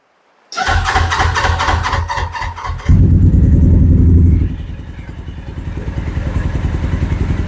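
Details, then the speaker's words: Carbureted 2007 Suzuki GS500F twin, long stored and run only about 30 seconds months ago, cold-started on choke with the fuel tap on prime: the starter whirs two seconds, it fires, revs briefly, then holds a steady high choke idle with even pulses. "But in all honesty, I have ran it a few months ago for about maybe 30 seconds. So, in a few more seconds, it'll run longer than it ever has."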